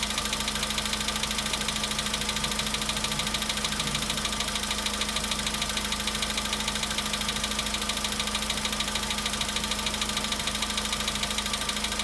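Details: VW Polo Sedan at 93,000 km, cold-start idle: a sharp, regular metallic ticking knock about three times a second from inside the engine; the knock seemed very strange and its cause is unclear.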